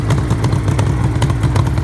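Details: 1974 Suzuki GT750L two-stroke, first start after rebuild, warming up; lumpy but steady burble with crisp popping exhaust, nothing abnormal heard; water pump seal leak noted.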